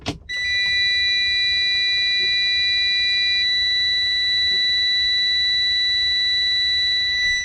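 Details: Truck with an Eaton Fuller 10-speed AutoShift after a high/low shifter piston teardown: at key-on, a steady high-pitched warning buzz lasts about seven seconds with little engine noise while air pressure builds; normal startup.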